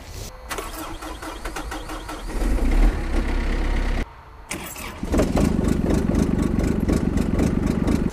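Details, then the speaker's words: Kubota small diesel tractor starting in cold northeast winter weather after overnight snow: brief cranking, then it fires right up into a steady, even diesel clatter, and a second start catches just as quickly. A normal cold start. "and generally today we find that's not so much the case we can generally start most tractors pretty easily even at really cold temperatures"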